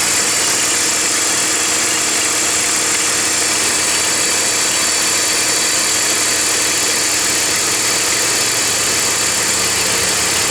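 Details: BMW E46 325i at idle: constant dry rattle from the front belt area; worn idler (deflection) pulley.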